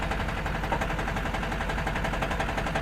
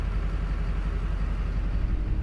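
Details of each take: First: 2005 Duramax with an Allison 1000 transmission at 299K miles, idling in drive, neutral and reverse: a fast rattling clatter of about three knocks a second from the bellhousing area, caused by a cracked flexplate slopping around. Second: 2005 Duramax with Allison 1000 at 299K miles after cracked flexplate replacement and shorted transmission wiring fixed: steady, even diesel idle with smooth low rumble, no more knocking from bellhousing.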